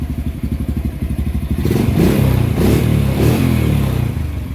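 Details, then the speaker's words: Honda four-wheeler after carburetor work, which previously would not start or run nicely: even single-cylinder thump at idle, then picks up cleanly into a smooth rev and settles back; runs healthy. "it just did not want to start up nice and run nice but now she runs nice"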